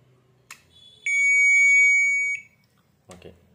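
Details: IFB Ultra front-load washing machine control board after a faulty seven-pin switching IC and two other parts were replaced, previously dead with only relay clicks: relay click, one steady high beep about a second, another click; board powers up normally.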